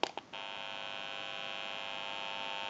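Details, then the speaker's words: General Electric 27909 cordless 6.0 telephone, after repair: pressing the dial-tone button gives a steady, even electrical buzz after a couple of clicks, RF interference picked up by the open amplifier. "since it's an open amplifier it is prone to any static interference or noise in the atmosphere like radio frequency I'm going to go ahead and press the button you may hear a little bit of an electrical hum"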